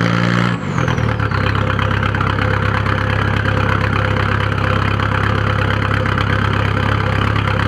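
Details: 1997 VW 1.9 TDI (1Z) diesel at idle: lumpy, uneven clatter that doesn't smooth out, with white smoke; ran smoothly then suddenly started doing this a few days ago; rough idle, cause unknown.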